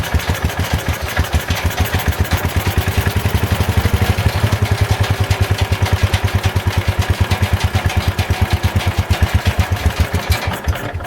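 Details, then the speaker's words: Old Kohler single-cylinder engine on a Ford Model 100 garden tractor (built by Jacobsen), first run, carburetor adjusted: even steady thump at fast idle, no misses or knocks; runs nicely after blowing carbon from exhaust at startup. "Well, this old Kohler runs pretty nice. I blew a little bit of carbon out of the exhaust when it first started, so I think a bunch of the stuff inside the engine loosened up and it got rid of it, so that was kind of nice."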